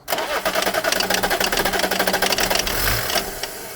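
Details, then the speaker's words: BMW E34 diesel, just refilled with diesel, possibly needing fuel bleeding: fast, even starter chatter with the engine catching only in brief puffs and never running; cranks but won't fire, air in the fuel suspected. "I think it's trying better. Do you not? It does try, doesn't it? I think it's trying better."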